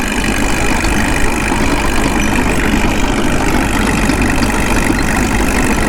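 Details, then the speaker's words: Caterpillar D2 crawler during break-in, dragging an RD-6 and running hot with wet stacking burning off the manifold: steady, deep diesel drone holding an even pace under drag load. Governor kicking in and responding cleanly under load. "all right let's get her straight down behind him exercise the right brake for a while listen to that Governor kick in love it"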